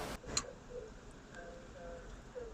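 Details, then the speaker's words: Very old combi boiler, hot tap running, power off then on: a single sharp click from the water valve in a quiet room, then no burner ignition. The water valve appears to work, but the micro switch inside it is suspected faulty. "I heard a click. I heard a click, I've turned the boiler on, nothing happens."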